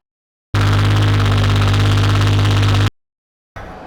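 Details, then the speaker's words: Jeep Cherokee with dead battery recharged (12.62 V), lost reverse: engine starts to a steady heavy droning idle with a low hum; noise seems to come from the bell housing, transmission to be pulled, source unconfirmed. "so it definitely sounds like it's in the bell housing so looks like we'll be pulling the transmission"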